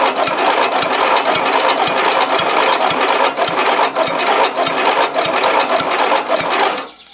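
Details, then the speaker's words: Used 12.5 HP single-cylinder engine fitted to a garden tractor, replacing a seized 11 HP: starter turns it at under two compression pulses a second, never fires; no fuel arriving, carburettor float stuck and bowl nearly dry. "Tu vois bien que le moteur il tourne mais à l'oreille tu entends qu'il y a pas du tout d'essence qui arrive"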